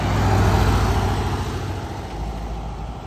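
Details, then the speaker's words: VW Beetle (vocho) air-cooled engine just rebuilt, previously burning ignition coils, originally fuel injected, now carbureted: even, steady idle with no misses after installing the missing transmission-to-engine ground cable. "Ahí está ya el cable puesto de tierra, la transmisión al motor. Ya no hay bronca."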